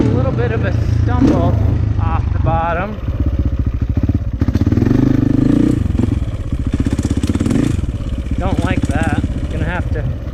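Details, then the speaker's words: 2004 KTM 450 EXC with Keihin carb, sat 6 years. An uneven blubbery note stumbles as the throttle rolls on from idle, a rich blubber off the bottom; fuel screw suspected too rich. "Yeah, I don't like that kind of blubbering. All right, it sounds like a rich blubber right off idle when you roll on."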